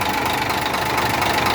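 Steady idle with a fast, even tapping riding over the engine note; a knock is present but the cause isn't clear.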